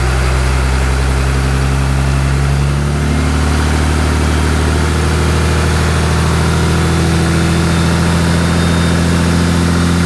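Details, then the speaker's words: 6.7 Cummins diesel just after installing a Fleece 10mm stroker CP3: steady, even idle clatter with settled low drone, no misses or knocks, and no leaks seen; engine running healthy. "i didn't see any leaks it started up it ran as you can hear uh it really wasn't that bad"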